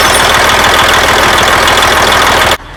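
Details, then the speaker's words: Detroit Series 60 diesel truck started after replacing the gear-driven air compressor: a loud, steady clatter with an even beat and no misses or knocks until shutdown; revved up and everything works, no oil leaks seen yet. "Hey, what do you think, huh? Everything seems to be working right. I ran her up there pretty good."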